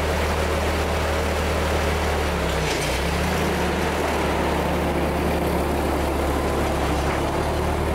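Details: 1946 Ford 2N tractor flathead four after head gasket replacement: even steady low drone with constant firing beat, no tapping, chuffing or misfire; runs smoothly, no fault.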